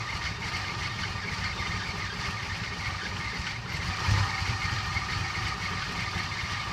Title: Cressida rough idle